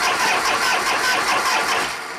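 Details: 1973 Harley-Davidson Shovelhead FX 74ci, unstarted for a while and choked. The starter churns in a fast, uneven rhythm for a couple of seconds without catching: cranks but won't start; owner suspects no gas, not confirmed.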